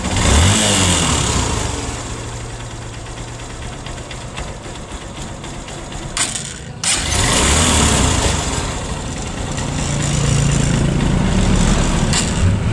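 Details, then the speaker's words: Cold motorcycle engine at first start: loud rapid metallic tapping through rev and idle, about four a second, from carbon on the head striking the piston; the noise goes away when warm. "Yung kapagka malamig ang makina sa unang andar mga bossing ay maingay na parang akala mo ay may nagtatagukto kang mga bakal."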